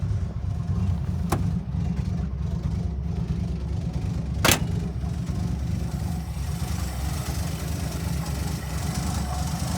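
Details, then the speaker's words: Cold 1982 Ford carbureted V8 idling just after a fuel pressure regulator install, with occasional intake backfire: deep, steady low rumble with an even beat, slightly low cold idle. "she's cold she's a bit cold it just backfires the intake yeah she is cold though not gonna lie"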